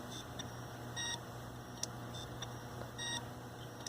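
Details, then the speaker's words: Failing Hitachi hard drive in a Linux mdraid RAID1 array, failing while a replacement drive was being installed: faint room hum with short high chirps and beeps at irregular intervals, roughly every two seconds. "Yeah, it's definitely this drive. I can feel the noises. Yeah, it's this drive here. This is that Hitachi drive from my video that was failing."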